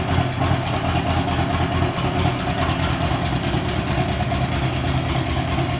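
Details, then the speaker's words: Buell XB12R V-twin started after fixing wheel-install wiring damage near the speed sensor connector (temporary test connectors) with a new battery: steady, even low throb at fast idle, no misses, knocks or rattles; normal running. "all right guys so as you saw the motorcycle is running great"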